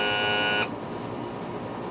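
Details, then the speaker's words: 2000 Honda 50 hp outboard, new Sierra tilt/trim motor tested with the engine's switch: steady electric whine runs smoothly about half a second, then cuts cleanly, no grinding. New motor works well. "I'm using the switch on the engine here and getting a lot of movement sounds good"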